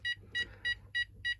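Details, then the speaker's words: Texecom Veritas alarm keypad, system won't arm: five crisp high-pitched beeps at about three per second, faint traffic behind; beep-count signal for a tamper fault, here the lid tamper left open, clears once closed. "means that I have a tamper issue. Whether it be like this one, the lid tamper."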